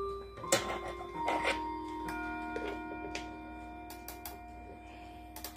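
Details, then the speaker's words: Jordan 613-226 model clock, described as working, door open: clear, bright bell tones ring and sustain evenly over a steady tick; normal, healthy chime. "that's what the chime actually sounds like is the sampering hand chime but it sounds much to me it sounds much clearer"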